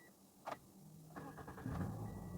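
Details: Toyota Yaris that would not start, after fuse box check and scanner connection: short crank, then engine catches at once and settles into a steady, even idle with no stumble; normal start.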